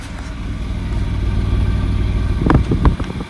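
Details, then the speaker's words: Maruti three-cylinder engine at idle after a misfire was fixed: steady, even low exhaust chuff with no skipped beats and a few handling knocks at the end; running clean. "बिल्कुल smooth engine हो गया है मतलब पहले से भी ज्यादा है।"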